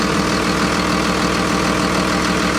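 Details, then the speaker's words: Ex-FedEx Freightliner MT45 step van with a 24v Cummins and Allison, bought listed as non-running, engine cover off: dense, even diesel idle with the turbo audible and no misses or knocks. It sounds healthy, and no leaks were found. "That sounds like a solid Cummins, baby. Listen how good that thing purrs. There's your turbo right there. She sounds healthy."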